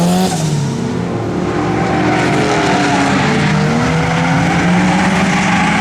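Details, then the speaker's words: Turbo RWD-converted Honda Civic drift car on track at full throttle: engine stutters and cuts in and out, power breaking up under load, tyres squealing; logs showed it getting very hot quickly, cause unconfirmed. "all right so it's breaking up being a pain in the ass i don't know what the deal is now everything checks out to be fine but i'm going to do plugs really quick and cross my fingers"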